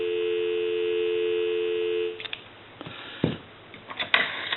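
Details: AE Monophone rotary desk telephone during checkout and repair, handset lifted: clean steady two-note hum for two seconds, then handset handling; healthy, normal dial tone.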